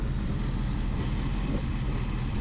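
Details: 1976 Ford Ranchero 500 V8 after new timing chain and oil pump install, warm at about 190–200, idling about 900 rpm: deep steady even burble, no knocks or ticks, some blow-by noted; healthy idle.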